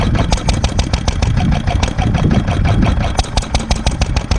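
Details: 1946 International Harvester LB hit-and-miss engine, cold start on choke with hand crank: sharp, slightly uneven pops from the slow single cylinder, firing strong and steady. A healthy cold start.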